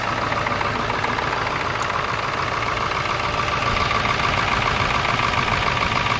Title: 1999 F350 7.3 Engine Bay and Exhaust Smoke. Slight Engine Shake/Misfire